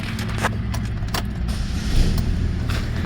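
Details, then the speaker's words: 2009 Saturn Aura 2.4 Ecotec after a cranks-but-no-start repair, running with a forgotten injector plugged back in after an earlier misfire. Steady, even low hum and a mild rev with no stumble. "So she probably run a lot better now with all 4 injectors plugged in."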